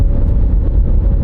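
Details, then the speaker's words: Chevy Impala with replaced cam sensors, previously running poorly from crank/cam correlation fault, accelerating after ECM relearn: deep, even engine drone pulling steadily, no stumble or jerkiness; now running smoothly. "smooth acceleration no jerkiness hey running quite smoothly hey maybe at least correlated the part we needed correlate"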